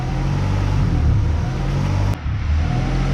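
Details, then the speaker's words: 1994 Honda Accord, 256,000 miles; stalled randomly, throttle body cleaned, now idle rises and falls in slow waves. Surging high idle; owner suspects vacuum leak or backed-out idle screw. "So now we got a big idle, surge idle. Normally these surge idles are because of the vacuum. Probably has a vacuum leak, or the idle screw is probably backed out."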